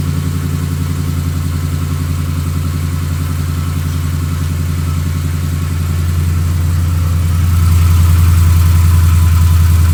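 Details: 2015 Ram 5.7L Hemi with long-tube headers, almost 18k miles, at steady idle: a regular light tapping about 3.5 per second over the exhaust. Started recently, less noticeable once warm; owner suspects knock or piston slap, unconfirmed.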